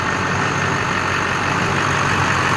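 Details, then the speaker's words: 2001 LB7 Duramax diesel after new injector swap and filter head housing replacement; steady, even idle with smooth low rumble, no misses, knocks or hunting, not smoking, normal diesel idle. "It's not smoking and she sounds smooth."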